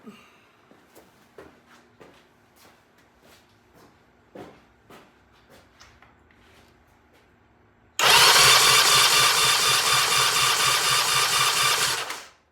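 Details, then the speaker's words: 1975 Norton motorcycle, throttle-open electric-start compression test on the left cylinder: a few quiet clicks, then strong even cranking with regular compression pulses; 165 psi, healthy compression. "Whoa. 165 pounds. This thing's got compression like you wouldn't believe."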